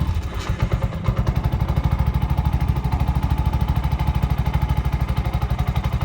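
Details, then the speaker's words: Bajaj BS6 after timing chain repair and complete refitting: even, steady idle thump around 190 beats a minute, no knocks or rattles; now smooth and silent, chain noise gone, check light may still show. "Smooth ಆಯಿತು ಗಾಡಿ. Silent ಆಗಿದೆ. Sound ಕೇಳಿಸ್ಕೊಬೋದು."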